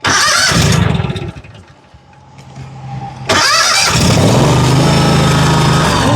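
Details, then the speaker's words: John Deere 757 Z-Track zero turn after fuel system repair (fuel filter had been installed backwards, new fuel pump tried); catches cleanly and settles to a steady even run with no stumbling; normal start and run. "That sounds a lot better."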